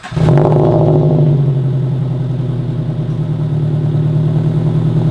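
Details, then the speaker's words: Scion FR-S (FRS) after swapping the aftermarket front pipe back to a catted front pipe, heard in the garage shortly after startup before warm-up: far quieter than before, barely audible at idle; smooth even low drone, no rattle or rasp, healthy idle. "is so much quieter. You can barely even hear it when it's idling."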